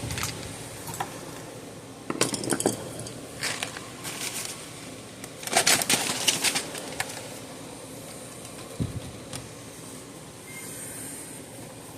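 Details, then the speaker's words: Zareba solar fence charger with no output, powered on: irregular snaps and crackles of internal arcing instead of the normal clicking pulse. It measured under 1,000 V peak with no load. "Oh yeah, I can hear it arcing, so I don't think we're getting any output. Should make the clicking noise, but it's arcing somewhere."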